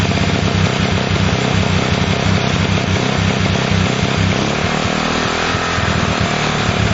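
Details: Honda CL70 single with idle set higher than before: revs unevenly, stumbling into a flat spot on throttle opening, bogging as it sucks air, then picks up. Jets already raised 73 to 75 and 38 to 40; carburetor suspected.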